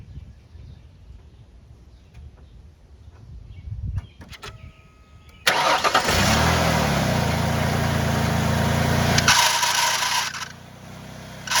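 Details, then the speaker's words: 2006 Ford Freestar 4.2L before repair: engine starts after a few seconds, then a loud harsh squall over the idle as wheels are moved slightly; failing power steering pump squeal. "it this thing makes a God awful squalling noise I can start it up for you to hear it"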